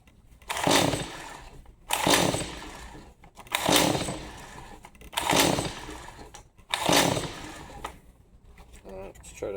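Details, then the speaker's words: Stihl MS 180C chainsaw, customer says won't start, new spark plug fitted, choke on: five pull-cord bursts with no catch or cough at all; no-start cranking. "Nothing. Not even a an inkling of wanting to fire."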